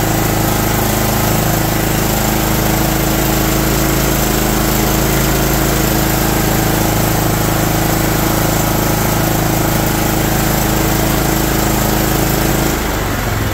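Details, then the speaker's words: John Deere LT160 Automatic mower after years outside, running from a fuel funnel while creeping forward and back: slow, slightly uneven single-cylinder lope with steady exhaust beat, a "Harley idle"; idle speed set too low, to be turned up. "oh yeah it's a Harley idle circuit sweet I bet we can turn that up just a hair and it'll be fine"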